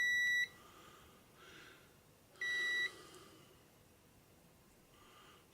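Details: Radio transistors under continuity test: two steady high-pitched multimeter beeps, each under half a second, across a transistor junction to ground; shorted transistor, and the other is expected to be the same.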